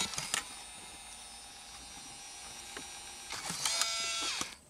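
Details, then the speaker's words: 2003 Pontiac Grand Am GT factory stereo with taped-together wiring: faint motor whir, scattered clicks and short grinding buzz as CD loader rollers turn but do not pull the disc in. "the rollers would turn but it wasn't pulling the cd in like i can probably try to force it in there"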